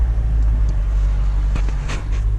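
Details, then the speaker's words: 8th-gen Honda Civic Si at 80,000 miles after a front-end repair for scraping and banging noises: steady low road rumble at even speed with no scraping, clicking or grinding, front end now quiet. "hear nothing I hope I meet it enough and hopefully it just stays fixed oh yeah that's a whole lot better before I was scraping just trying to move it really"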